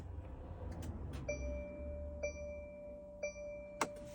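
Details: 2024 Mercedes Sprinter, battery fine and starter just replaced, randomly won't start: start button pressed with foot on brake brings only a repeating two-tone chime, no starter whir or crank; no-crank no-start, cause unknown.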